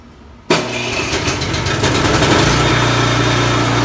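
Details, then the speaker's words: Craftsman snowblower after bent impeller repair and reassembly: engine catches and runs steady and even, no knocking or scraping from the auger side; normal running. "so i've got everything back together i'm just going to start it up and test it out and see if that noise is gone so it looks like that's working fine i'm gonna continue on moving snow"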